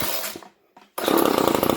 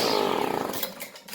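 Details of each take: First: GTI 15T string trimmer after new 2mm fuel line, carb adjusted and cleaned: catches and buzzes a few seconds without building revs, then stalls; spark present, fuel starvation traced to the carburetor. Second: GTI 15T string trimmer after new fuel line and filter: small two-stroke buzzes crisp and even, then winds down cleanly; ran 45 minutes idle to full throttle, restarts first pull.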